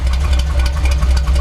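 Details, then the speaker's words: Chevy C10 truck V8, idle while adjusting distributor timing: deep, even but soft lazy beat with little crispness and slower throttle response; timing set too retarded, estimated around 8–10 degrees after being 12–14. "Now it's too retarded because I touched it too much."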